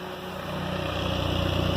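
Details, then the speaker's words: K24-swapped Honda Insight with new exhaust idling at 900 RPM, fuel pump and cooling fan jumpered, cold night: low even four-cylinder rumble with loud fuel-injector tick, injectors seem fine; normal smooth idle. "You can hear a pretty loud tick. It's actually the fuel injector, which I don't know why they're so noisy, but they seem to be working okay."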